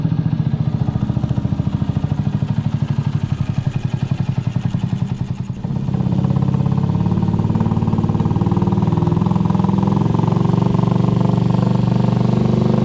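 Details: Restored Honda CG125 street scrambler after full build idling: steady single-cylinder beat, even and quick, picking up slightly midway, then settling smoothly; healthy.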